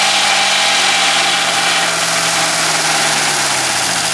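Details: 1965 Mustang V8 at idle: sharp, fairly steady tick about four per second, a light valvetrain tap; owner suspects a bad lifter and also notes a marble-like rattle at high rpm.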